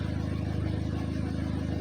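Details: Audi TT with Arduino Uno fuel pump controller, pump output slowly reduced toward 50 and below (code error let it drop too low): low idle throb with uneven pulse, engine lean and close to stalling, then dies; rough running.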